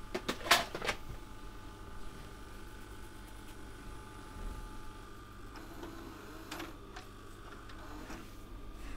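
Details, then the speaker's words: Sony DAV-D150G DVD/VHS receiver bought very dirty from a car boot, VHS test after powering up: a couple of mechanism clicks, then a soft, steady, even rewind whir with no squeal or grinding; rewind working normally. "Right, let's test out the VHS functions. I'm just going to check it rewinds."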